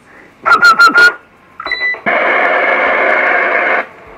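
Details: Galaxy Saturn CB radio after repairing the faulty frequency-counter display and full alignment, about 7 W AM/FM and 18 W SSB; short bursts of clear received audio then steady even hiss, no crackle or dropouts.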